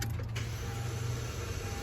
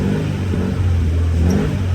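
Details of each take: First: Friend's Honda Civic cranking: a short, strained crank with a thin whine over a weak hum, and it never starts. Battery and alternator tested in spec, so the recently fitted replacement starter is suspected bad from the start. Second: FR-S during scanner alternator test, in park with headlights on, revved to about 2,000–3,500 rpm: smooth rise and fall through a few steady revs, no knocks or whines; alternator and battery passed, engine healthy.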